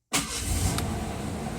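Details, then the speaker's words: 1989 Ford Ranger GT, 2.9 V6, 89,500 miles, cold start after sitting overnight following a 10-plus-mile drive: catches almost instantly and settles into an even run, no knocks or ticks; owner notes an intermittent tick may return. "guys this thing fires up better than most new vehicles that I've had honestly no issue no issues fires right up"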